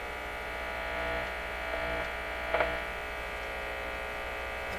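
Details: Canadian Electrohome tube console receiver on restricted power, no antenna connected, with another wiring error suspected and the volume control possibly needing cleaning: steady low buzzing hum with a faint higher whine; loud hum, cause not confirmed.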